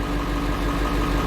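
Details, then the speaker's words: 1995 Ford F-series 7.3L Powerstroke diesel after replacing the failed injector driver module: steady, even idle with regular low chug, no knock or miss; normal diesel idle, crank-no-start fixed. "i hope you guys can hear that the truck is definitely running so right there guys the truck is running"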